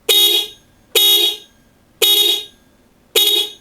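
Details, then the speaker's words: Kazito dual Avanza-style car horn with a 4-pin relay, newly fitted to a carbureted Honda Vario Techno 110, replacing a tinny horn: four loud, clean two-tone honks, identical each time; normal horn. "Oke ini dia Suaranya klakson double Avanza dari kazito Indonesia guys"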